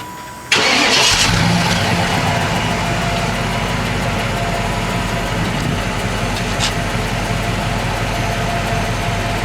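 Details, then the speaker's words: 1995 Cadillac Fleetwood cold start after new mufflers fitted: catches at once, smooth steady quiet idle, slight lisp but no blowing or ticking; far quieter than old mufflers. "very quiet from before you can see the new Mufflers there yeah there's a slight lisp to it but other than that sure as how better than it was before"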